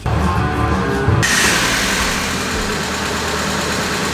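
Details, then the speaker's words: 1994 Mazda Miata, the day after repairing a broken timing belt; the earlier loud lifter noise went away: smooth, even idle with no valvetrain ticking. Normal idle. "The noise went away. Look at this. It's the next day. I'm still shocked that this thing runs. It runs pretty damn good."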